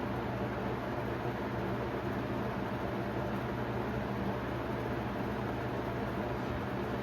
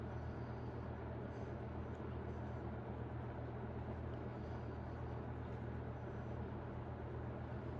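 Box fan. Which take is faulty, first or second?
first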